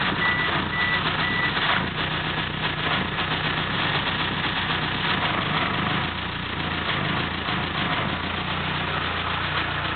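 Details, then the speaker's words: 1997 Eclipse GSX with a 6-bolt swap and new 3G lifters, oil pressure near 80 psi: idling engine with a busy, rapid ticking; owner unsure whether lifter tick or something worse. "Um, and right now the main problem that I'm having is it's got this nasty ticking noise. So, I'm trying to mainly find out if you guys think it's lifter tick or if I've got bigger problems."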